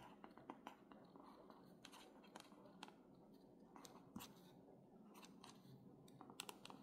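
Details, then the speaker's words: Newly bought reMarkable 2 tablet stylus writing on screen; scratchy strokes with squeaks and sharp pops, sounding like a marker on a whiteboard rather than pencil on paper; source of the noise unclear. "this is what I hear that it doesn't doesn't sound like paper sounds like a marker"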